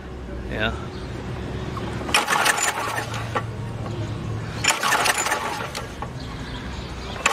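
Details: Ex-cell VR2500-1 pressure washer, Briggs and Stratton 6.5 hp engine, run switch set: three recoil pulls about 2.5 s apart, each a brief rattling rip with no firing; cranks but won't start, spark looks weak, cause unconfirmed.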